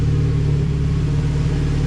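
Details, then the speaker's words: Civic Si with B18C1 swap, stock motor, Precision turbo, warming up at 12.5 air-fuel after timing reset: deep, even, rock-steady idle, no misses or hunting, much smoother than before with no vibration. "i don't know if you guys can hear the difference or not way smoother like the motor doesn't even vibrate it's so smooth"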